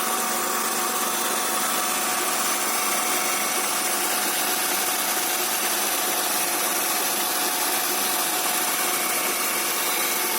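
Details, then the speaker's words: Honda Accord V6, first start after the engine was reinstalled with a new rear main seal and other oil seals: a steady, even idle with a light hiss and no knocks or misses. The check engine light flashed then went out, and some oil was still leaking. "so there it is the engine is running right now probably have to feel sufficient real pressure going to run it sounds good"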